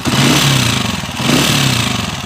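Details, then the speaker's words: Honda TMX155 motorcycle engine, also with spring kick and leak issues: quiet at idle, then loud metallic clatter and whirr swells with each throttle rev; badly worn timing gear, overhaul planned. "So yung maingay na yun kapag nire-rebulasyonan natin, yung timing gear yun mga bro, malala na yung tama."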